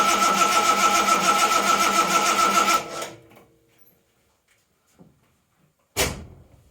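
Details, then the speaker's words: 1980 Reliant Scimitar GTE SE6A with spark confirmed, cranked with the fuel pipe off into a bowl to check delivery. Steady cranking, about 3.5 turns a second, for nearly three seconds without catching. Cranks, no start. "Okay, bone dry. That's not looking good. Okay, perhaps I didn't crank it long enough because I just pulled the pipe down and fuel's coming out."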